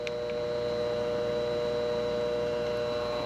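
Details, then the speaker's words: B&G Series 60 hot-water boiler circulator pump after replacing the broken coupler, bearing assembly and motor mounts: steady even hum with a clean mains tone and no knocking or rattle, spinning smoothly; normal running. "I mean, that thing sounds nice. It sounds really nice. I mean, it is spinning so smoothly."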